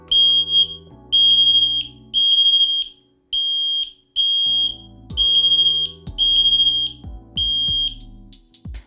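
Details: FireAngel Pro Connected alarms, test: loud piercing high-pitched beeps in repeated bursts about a second apart with lower tones underneath; normal test pattern.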